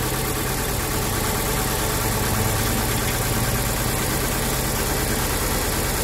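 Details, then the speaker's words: Mitsubishi Cedia 4G15 GDI engine, first cold start: loud, uneven lumpy idle that never settles; a cylinder is suspected not to be firing. "vamos a alargar probablemente hay un cilindro que no trabaja vamos a ver qué cilindro"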